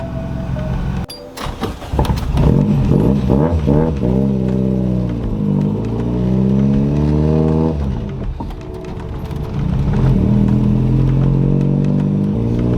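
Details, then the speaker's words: Corolla with a GE engine swap, warmed up, after a clutch adjustment, with an exhaust leak: revs shoot up and hang on throttle without pulling; the clutch is slipping hard under acceleration. "Definitely you could hear it slipping then, so whatever I did, definitely got to switch it back and try to figure out where this thing likes to be happy at, because it's definitely slipping hard as soon as I rev it"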